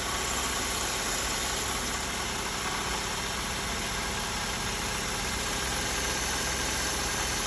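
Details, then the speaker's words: BMW E36 at idle before track day: constant hissy, gritty whir with an uneven tick, sometimes seeming mid-engine, sometimes front; alternator pulleys ruled out, owner suspects front of engine, water pump and thermostat later replaced; intermittent engine noise. "so as you can see it's it's kind of a weird noise sometimes it sounds like it's coming from the middle of the engine sometimes it's from the front"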